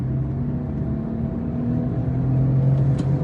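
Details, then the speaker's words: Tata Tigor EV driving: steady low droning growl from the rear that builds once speed passes about 30–35 km/h, like a motorcycle engine; quiet at low speed; caused by a worn rear wheel bearing. "तो दोस्तों जो आपने motorcycle वाली sound अभी सुनी थी वो आ रही थी इसके पिछले टायर से और जब हमने चेक किया तो पता लगा जो साउंड थी वो आ रही थी इसके व्हील बैरिंग से।"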